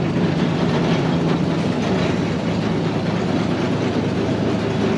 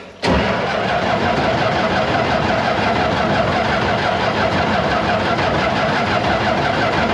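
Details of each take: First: Barn-find Massey Ferguson 300 combine six-cylinder, just started and idling to warm up: a steady, even low rumble with no knocks or misses, a smooth, healthy idle. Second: Barn-find Massey Ferguson 300 combine, six-cylinder, in neutral with choke pulled and a little throttle, 5 gallons of fuel just added, fuel pump heard running: steady starter cranking about three turns a second for seven seconds without firing. Long cranking before it eventually started.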